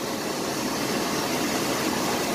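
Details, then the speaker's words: 1993 Chevrolet S10 4.3 automatic 2WD, first start after a starter replacement, having sat a week: steady hissing rush over a running engine with little rumble; the owner dislikes the sound and finds it weird, cause unknown, but it runs. "Alright, will it crank? Let's find out. Been sitting a week. Okay, I do not like that sound."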